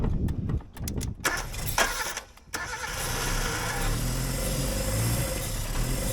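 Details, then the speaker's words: Suzuki Samurai abandoned 20 years, cranked with the clutch in while pumping the gas: choppy cranking, then it catches into a rough, low idle and runs on its own as fuel finally arrives after starvation. "it's alive funny I think we got fuel into it I think we actually got fuel into the thing now gas now it's running on its own"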